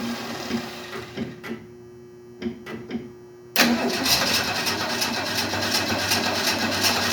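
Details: 1968 Ford Mustang on a nearly flat, briefly charged battery: short uneven cranking bursts, then a rough, struggling run that won't hold; owner suspects no gas in the lines, unsure whether the fuel pump is pumping.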